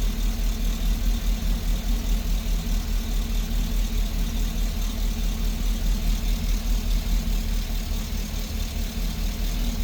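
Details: GMC engine at idle with a cylinder 6 misfire and P0420 code: lopey idle pulsing about two beats a second that doesn't smooth out.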